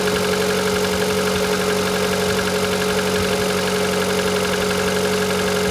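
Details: Engine at 160,000 km with a new extraneous knock, audible even in the cabin at high revs: steady idle with faint tapping about three beats a second; cause unknown.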